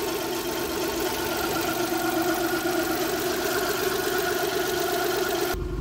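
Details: Car at idle after radiator fan replacement, temperature holding steady; steady even idle with smooth hum, no knocks or surges, new cooling fan running normally.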